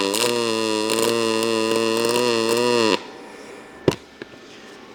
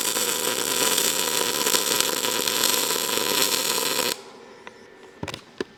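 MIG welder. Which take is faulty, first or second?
second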